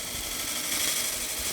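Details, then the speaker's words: Large faceplate-mounted platter blank on a Robust lathe, continuous even gouge hiss without the earlier wobble after the blank is rounded; tool feeding itself slowly in solid wood, running true. "There we go. Now we're in completely solid wood. And you can see I'm letting the tool feed itself. I'm not rushing this process at all."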